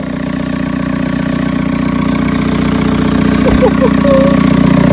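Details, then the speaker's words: Prepared 1.9 TDI diesel, first start after rebuild work: starts instantly with no knock, settles into even idle clatter about three beats a second; healthy idle. "ah bah là quand il a démarré il y a pas eu un seul claquement ça je peux vous le dire ça a démarré au quart de tour"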